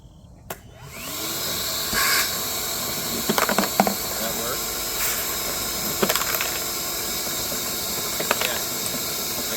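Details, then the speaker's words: Ryobi cordless 6-gallon wet/dry shop vac picking up screws, nuts and lock washers; steady high vacuum roar broken by sharp clicks as hardware rattles through the hose, some screws stuck inside. Debris stuck in vacuum hose. "still hear screws getting stuck okay I can hear them dropping and there's still a couple screws in there so the washers are making it past the screws in the tube"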